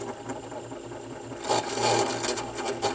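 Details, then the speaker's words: AR XB turntable drive motor with a loose, dented pulley that wobbles on the motor shaft, shaft possibly crooked: rough, buzzy whir with an uneven rattle, barely able to spin the platter. Noisy motor with weak torque. "that doesn't sound good does it and there's no this has no torque to it whatsoever"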